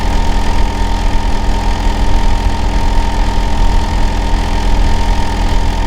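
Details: Neighbour's Hitachi air conditioner outdoor unit running in winter: steady, deep droning hum with a fixed mid-pitched tone at an even level; loud running noise, cause unclear.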